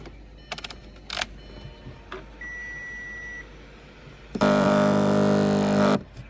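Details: Short, loud, buzzy grinding whir from the sunroof wind deflector motor of a 2006 Audi A8, run with the car started and the sunroof assembly removed to locate the grinding.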